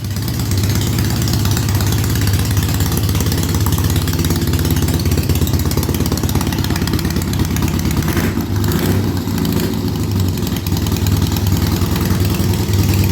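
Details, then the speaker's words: Triumph Bonneville after fixing a non-holding oil pump pressure-side check valve, now over 30 PSI oil pressure at idle; a low, steady, even idle with no knocks or rattles. Running smoothly. "well there you go she seems to be running good so it's time to call the owner tell him to come pick the bike up"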